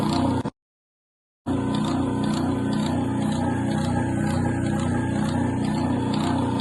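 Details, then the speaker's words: 1940 Craftsman (Diehl-built) repulsion-start induction-run electric motor, bearings already replaced and brushes seated: a steady hum with a slight rhythmic throb of about four pulses a second shows it still vibrates while running; root cause not yet found. "the bearings in here have been replaced but the motor still has a little bit of vibration to it when it runs"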